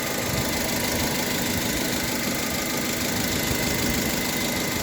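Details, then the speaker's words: Honda HR-V CVT idling in neutral: even engine idle with no gearbox hum; the hum that appears at the rear in D (owner suspects bearings) vanishes, transmission quiet in neutral. "В общем, вот он работает без шума сейчас, вариатор. Это на нейтральке стоит."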